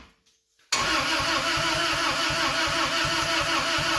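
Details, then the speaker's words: 1992 Isuzu pickup, first start after years of sitting, in neutral: after a quiet moment the starter cranks evenly at about three beats a second but it never catches; owner suspects no spark on all cylinders. "i don't think we're getting sparked on all cylinders"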